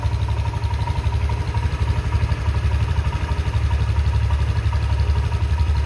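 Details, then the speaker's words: Honda Vario 150 (old model, PGM-FI injection) scooter idling unstably with an uneven stumbling beat about four pulses a second, brebet misfire; engine dies when throttle is opened quickly, fine when opened gently. "nah ini sepeda motornya itu tidak bisa rangkam kalaupun langsam tadi ini dilihat bisa didengar suaranya suaranya itu agak brebet"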